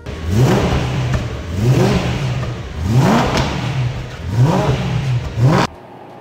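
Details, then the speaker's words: Rebuilt crashed BMW E92 M3 running for the first time after a software update aligned mileage, keys and serial numbers: crisp blips, revs climbing smoothly and dropping cleanly four times, no knocks or misses; healthy engine. "to hear that thing run under its own steam it's going to be hard to top that"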